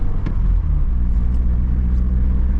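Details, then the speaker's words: Heavily modified Mk2 Cavalier C20LET turbo engine with a failing, taped-up coil pack: deep rumble that backfires and misfires with a sharp pop, then catches and runs on. "But you can hear it backfire misfiring and then it catches."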